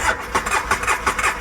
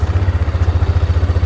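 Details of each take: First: Two-cylinder ATV, starting fluid sprayed in: steady cranking with no catch or firing, so it cranks but won't start; spark is present on both cylinders, a plug looks oil-burnt, and the owner suspects it needs a top end. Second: Bought-as-broken ATV just started after its switch was turned on, with the fuel pump working: a steady, even idle thrum with no knocks, ticks or misses, so the motor sounds healthy.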